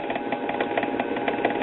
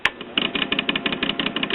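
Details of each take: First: 1946 Espey 78 rpm record player during servicing: a steady mechanical rumble with a fast, slightly uneven throb about five times a second. The idler wheel is noisy; a wheel rebuild is not planned. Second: 1946 Espey 78 rpm record player after servicing and a new power cord: a light, fast ticking patter about three per second over a soft, steady motor hum. Normal turntable motor running.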